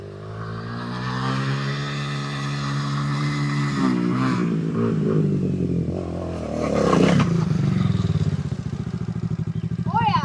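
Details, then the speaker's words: E-Ton 125cc four-stroke four-wheeler, new with about 50 miles in 24 hours, ridden on backyard trails, heard from a distance: steady buzz with pitch climbing and falling with throttle as it passes, no knocks or misses; runs normally. "It's a mean sounding little forbanger. It's a four- stroke. 125cc four- stroke."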